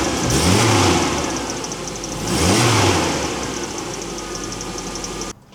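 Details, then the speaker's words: 1985 Toyota 4Runner with 3RZ-FE swap, after cylinder 2 misfire diagnosis and fuel injectors reinstalled: petrol engine idles evenly after two blips, running well apart from a faint fast chirp from a squeaky pulley. "running mint other than a squeaky pulley."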